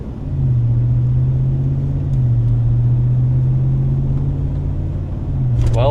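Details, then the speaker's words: Ram Longhorn pickup, recorded in the cab with HVAC on fresh air after the dash was resealed: a steady engine drone and road rumble with no whistle. The earlier whistling was air leaking past an unsealed dash/windshield area, and it is now fixed. "Let's confirm it on fresh air. Make sure there's no noise that way."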